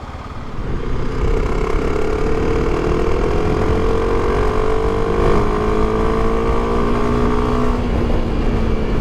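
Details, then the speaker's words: Motorcycle on a touring trip, test ride after a new clutch install and oil change: the engine pulls up through the revs in a smooth, steadily rising tone without flaring, so the clutch is holding under load; slip is still possible at higher speed in fifth and sixth. "đang giữ được. Hy vọng là nó sẽ giữ nguyên như vậy."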